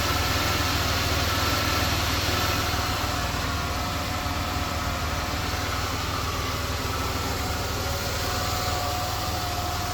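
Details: 2004 Buick 3.8 engine at idle after adding Marvel Mystery Oil: smooth, steady hum with no tapping from the top end; the earlier ticking noise is gone and the valve train sounds quiet and healthy.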